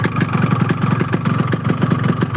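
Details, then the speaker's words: Yamaha RX two-stroke motorcycle at idle and light throttle: uneven, lumpy, choked-sounding beat; incomplete combustion, possibly from fuel or ignition, suspected rich mixture; piston noise also mentioned. "jadi ini seker serta bunyi semua terus karena pembakaran yang tidak sempurna maksudnya tidak sempurna itu bisa dari bahan bakarnya bisa dari pengapiannya"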